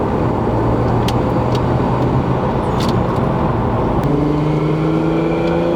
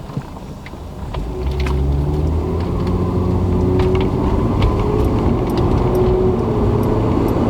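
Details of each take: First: Lexus IS300 2JZ with CX Racing turbo kit, first drive under boost: steady engine drone, then a rising turbo whine and hissy rush. The open-dump wastegate is very loud, and the owner is considering recirculating it back into the exhaust. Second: Lexus IS300 2JZ automatic with a CX Racing turbo kit on EMU Black, about 1–2 psi boost, under throttle: a steady drone with a loud whoosh and flutter. Normal wastegate noise.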